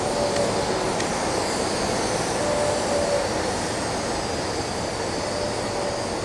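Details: Ventec dust collector filter, well-sized, at start-up: a steady, even rush of air with faint sharp pulses early on as the cleaning system discharges; normal operation.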